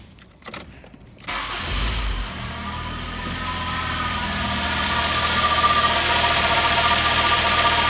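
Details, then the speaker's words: Mk3 Ford Mondeo with a replacement engine, started up: busy idle with a steady high whine from the power steering side, first thought to be the alternator, traced to the air con compressor. "there is a distinct whining coming from the engine now i've looked over this ending up and it seems to be coming from this side the power steering side"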